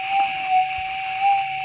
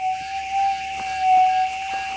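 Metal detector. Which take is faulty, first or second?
second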